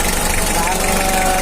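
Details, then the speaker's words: 1991 Mitsubishi L300 diesel after tune-up for jumped timing, rough sound and weak running: steady, even idle clatter with a firm low rumble and no misses; normal diesel idle, good for its age. "Untuk mobil keluaran tahun '91, suara ini cukup bagus, ya."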